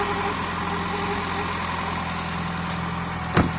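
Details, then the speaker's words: JDM car after engine bottom-end rebuild for knock; previously stumbled on low beam and stalled on high beam. Now all four headlights on, steady even idle, no stumble, hunting or stalling, one brief bump near the end; normal idle. "все также в порядке работает все четыре фары машина не глохнет все прекрасно себя чувствует"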